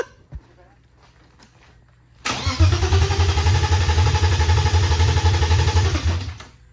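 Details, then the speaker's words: BMW E36 318i right after a one-day engine swap, with the fuel lines just flipped: fast, even starter churning about four beats a second for four seconds, no catch or firing. Cranks but won't start; owner suspects the missing engine ground wire. "wait did we put the ground nope we didn't put a ground on I mean it's cranking but that would that keep it from starting probably keep it from starting"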